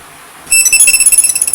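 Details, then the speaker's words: Mili MiTag smart finder tracker, switched on by pressing its button: quiet, then a bright, rapid chirping melody for about a second. Its normal power-on tone. "Ganito yung tunog niya pag on. Pindutin mo lang dito."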